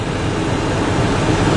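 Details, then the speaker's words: 2002 Ford Expedition XLT 5.4 L V8 at idle just after starting: uneven, lumpy rough idle with a slight exhaust leak. "and it is idling rough yeah it is definitely idling rough"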